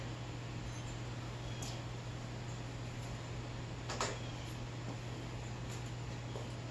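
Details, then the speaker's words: 1969 Harley Shovelhead with rebuilt generator, engine running hot: steady low hum with faint intermittent ticks; generator cuts in but puts out only about 15 volts, less than before the rebuild; regulator suspected. "It's putting out less volts than it did when we took it up to get it fucking rebuilt."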